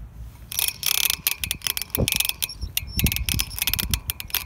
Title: Nano - strange noise when freewheeling